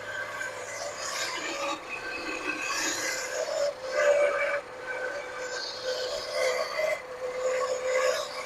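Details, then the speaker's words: 1979 Lincoln Continental 400 V8 abandoned since 1991, first start after rigging the fuel system: a harsh rasping steady high-pitched squeal over the idle, traced by a screwdriver stethoscope to the smog pump bearing; the smog pump belt is to be cut. "Not sure, but it could be that smog pump too. Making sound, guys."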